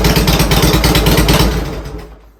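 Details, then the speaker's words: Harley-Davidson Twin Cam after fuel pump replacement and installing an Accel coil-on-plug ignition: loping, even V-twin idle with no misfire or stumble before winding down; ignition healthy after the install. "She's back, baby! Woo! I'm psyched about that. It worked great."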